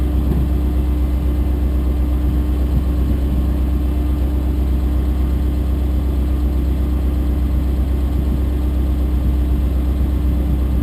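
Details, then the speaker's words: Chrysler Valiant VJ, sat 25 years, cranking after fitting a bigger earth lead borrowed from a Falcon and cleaning it up, fuel sniffed down the carb: strong, even cranking with a deep steady drone, starter spinning the engine freely, better than before. "all right hopefully this hopefully this new earth works and we can we can get this going oh yeah come on seems to be cranking better"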